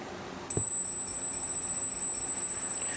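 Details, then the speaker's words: Cheap Chinese V3.1 brushless gimbal controller on a carbon-fibre hexcopter gimbal with GoPro Hero 2, first power-up before setup: click, then steady piercing high-pitched motor squeal, fixable by a controller setting. "you can hear that high pitch squeal and that's pretty typical of the gimbals that I get"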